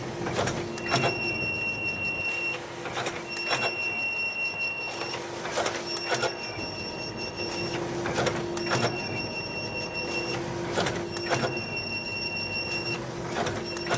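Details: Konica Minolta FS-527 finisher during its finishing cycle: loud mechanical whirring with a high squeal repeating about every two and a half seconds; abnormal noise.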